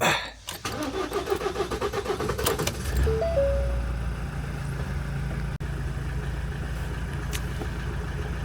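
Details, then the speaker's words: 2018 Ford Transit EcoBlue diesel, hard-start when cold, low fuel pressure fault, after fuel-system repair: starter churns in quick even pulses for about two seconds without catching; crank, no-start, air in fuel system suspected. "it could be that there's air in the system still we'll give it rev and see"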